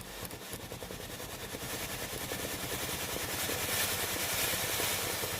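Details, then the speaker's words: Philips GC7620 steam iron after replacing the water pump with a cracked valve: with soleplate hot, pressing the water button gives a quick, soft pulsing pump buzz and rising steam hiss; pump now delivers water normally. "เดี๋ยวผมทำการกดปุ่มจ่ายน้ำนะครับจะได้ยินเสียงปั๊มน้ำเบาๆนะครับตอนนี้ไอ้น้ำออกที่หน้าเตาไว้นะครับ"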